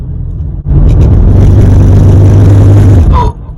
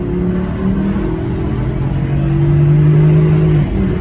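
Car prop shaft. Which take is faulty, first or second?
first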